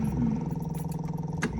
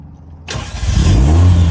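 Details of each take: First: 1975 MG Midget 1500cc original-style starter giving a steady fast electric whir without cranking clunks, spinning but not engaging the flywheel, new battery and electrics checked; replaced with a Wosp starter. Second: Warm 1975 MG Midget 1500 with new Wosp high-torque starter, after a 30-minute drive: starter spins briefly and engine fires almost instantly, settling into smooth even idle; clean, healthy start.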